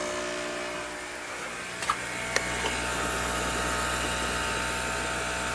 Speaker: that's how loud this one is that one seems to be the loudest